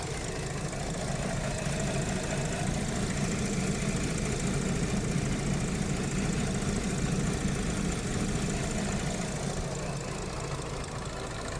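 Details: 2013 Audi Q7 3.0T supercharged at idle, misfiring and mixing oil and coolant, shakes badly when revved: low drone with uneven stumbling beat about four pulses a second. Rough idle misfire.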